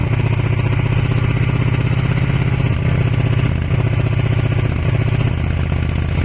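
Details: Kawasaki ER500 twin with white smoke: uneven idle, beat catching and dropping out every second or so; misfire, owner suspects a broken head gasket, unconfirmed.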